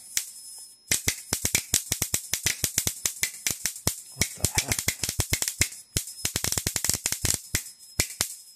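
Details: Homemade high-voltage bifilar transformer passing a 110V 60Hz high-current pulse through a spark gap, voltage raised: rapid irregular cracks bunching into bursts as the arc chirps and kicks with heavy current; cause of the weird noise unknown.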